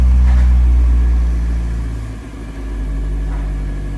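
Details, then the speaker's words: Car after throttle body deep cleaning and idle relearn calibration, started cold: a smooth, even hum with a slightly raised idle (should fall below 1000 rpm when warm) that dips and steadies, no hunting or misfire, no check engine light; normal. "That went pretty well. So basically the car is idling properly. Now you see the RPMs are a bit high. That is because the engine is not hot."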